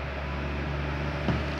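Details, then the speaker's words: Fan (40 cm, phase capacitor 2.5 µF 400 V) that wouldn't start unless spun by hand, after repair, powered through series lamp tester: even low mains hum, couple of light knocks near end; starts and runs smoothly on its own, discharged capacitor blamed. "e agora vou ligar para vocês verem que vai partir vou conectar na nossa série às 13 lâmpadas e vou conectar aqui para vocês verem velocidade já partiu"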